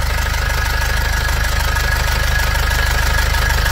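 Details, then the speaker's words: 2005 Nissan Xterra with an MWM Sprinter turbo diesel at a steady idle: a tinny, buzzing crackle from the loose turbocharger heat shield vibrating against its mounts; heat shield rattle. "segura tira a mão segura pronto perceberam o barulho aqui no escudo térmico da turbina aqui ó vem aqui ó"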